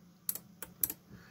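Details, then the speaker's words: Sylvania SmartPlug being probed during a teardown, powered on the bench near the suspected 3.3 V regulator: sharp, dry, unevenly spaced clicks as the relay chatters on and off unexpectedly. The cause is suspected, not confirmed. "oh that's not what I expected you hear that the relay is just clicking away here"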